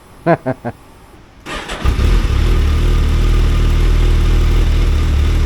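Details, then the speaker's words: Suzuki Hayabusa Gen 3, after codes were reset with the service light still on: several cranking bursts, a pause, then it catches into a low, uneven idle. Hard starting, cause unknown. "She didn't want to start there. That didn't sound good."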